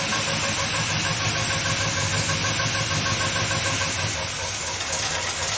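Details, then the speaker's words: Rebuilt V8 with Edelbrock carburetor, fuel pump disconnected: the whining, bearing-like noise was a squeaking fuel pump diaphragm; now a smooth, even, quiet idle under some hiss, no tapping or knock; normal idle. "that hose that's the inlet noise is gone this engine just as quiet as she can be it was all just a squeaking diaphragm on the fuel pump"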